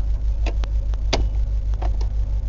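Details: 2000 Chevy Silverado Z71 V8 4WD, over 230k miles, transmission lost high gear: low even idle rumble, no misses or knocks, a few cab clicks and rattles; engine idles normally.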